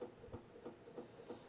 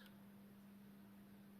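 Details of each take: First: Old Jundes synchronous clock after cleaning, mounted back in its case with the hands fitted. A steady buzzing hum with soft throbs about three per second, amplified by the case. The hands may be the cause, since the sound stopped when it was held upright. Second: Old Jundes synchronous clock movement, test run after cleaning and reassembly, outside its case. A faint, steady low hum with no rattle; it runs smoothly and much more quietly than before.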